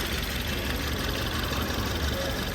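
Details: 2018 Ford Taurus turbo, owner complains of strong shaking and stumbling: lumpy, uneven idle with a repeating stumble, code P0301, cylinder 1 misfire.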